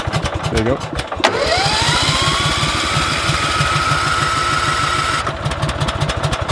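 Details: Leaf-cleanup equipment (UMount leaf blower or BillyGoat debris loader) cold start on gas: chuffing cranking, catches with a rising whine for a few seconds then drops back to cranking; reluctant cold start, cause unconfirmed.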